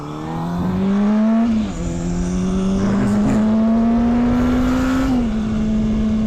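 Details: 2007 motorcycle, 18 years old, riding: clear whine climbs and dips with road speed; owner suspects clutch issue, possibly in lower gears, unconfirmed.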